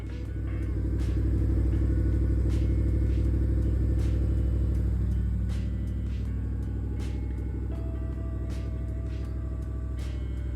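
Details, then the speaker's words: Car in for smog test idling with a foot-sized hole in the muffler: loud, deep, throbbing exhaust rumble far too heavy for a car. "Came in for a smog test, not sure it's going to pass having an apparent foot-sized hole in the muffler."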